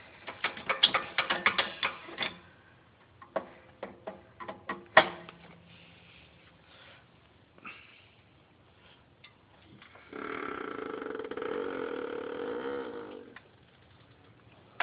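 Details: BMW E46 creaking as the car is jacked up with tyre already in the air and again when lowered: sharp clicks then a drawn-out wavering groan; owner suspects spring or top strut mount, no strut leak seen.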